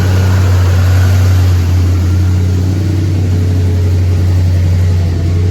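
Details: 1983 GMC K2500 Sierra Classic V8 barn find, first start in five years after sitting, new carb fitted earlier, fresh fuel being cycled through carb; deep steady burble at idle, no knocks or misses; normal idle, possible future carb cleaning for gummed jets.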